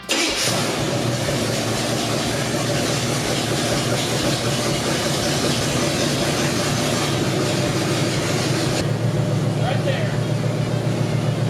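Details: Squarebody C30 crew cab dually, 454 V8, after a new cam and lifters and timing set about four degrees: deep, steady idle burble with even firing and no misses or knocks; sounds much healthier, normal idle.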